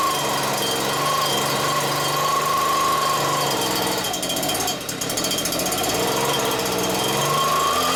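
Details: Stihl BR86c leaf blower two-stroke after engine rebuild with new crank bearings and a cleaned carburetor, at first start: high buzz held near steady speed with a brief dip midway, then picking back up; runs and holds revs.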